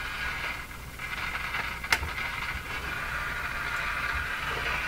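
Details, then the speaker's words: Philco 49-501 Boomerang radio after special capacitor fix, at switch-on via dim bulb tester: steady crackly hiss with a sharp pop near two seconds; crackling at power-up, cause unknown. "when I hear that sound what I imagine is coming as a big explosion that's what I imagine"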